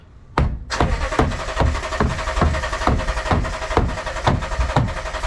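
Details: 2012 Toyota Tundra (possibly Tacoma), fuel gauge full, crank no start: slow even starter strokes about twice a second with no firing; fuel pump not running, no fuel pressure at the line, pump module doing its job.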